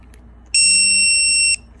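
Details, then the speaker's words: Snap-on digital torque wrench, dead until a broken ground wire was repaired: one clean high beep lasting about a second as it powers on normally; normal power-on beep. "you can hear that. Now it's actually on. There you go. Okay, so that was the problem. The ground wire was broken."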